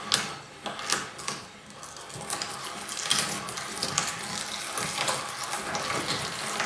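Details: Vintage cast-iron Spong E30 hand mincer, test run with carrots after re-threading the locknut stud to 8mm: irregular crunching and clicking about once a second, turning freely without binding or scraping.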